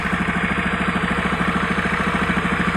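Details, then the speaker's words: Honda Beat carburetor scooter with abnormal ignition complaint, at idle: light regular tick about three per second over the engine beat; ticking cause still to be checked. "untuk suara mesin ada suara ngeteng-ngetek-ngetek bisa"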